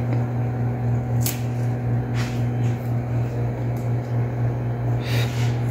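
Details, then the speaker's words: Old Fuji Electric R22 aircon with error OF after compressor was replaced without changing filter dryer, compressor ran very hot; after repair, indoor unit restarted: steady low even fan hum, faint electrical drone, no rattles or scraping. Normal running. "Umaandar na yan. Ayan, so umaandar na yung indoor natin. Maghintay lang tayo ng ilang minuto."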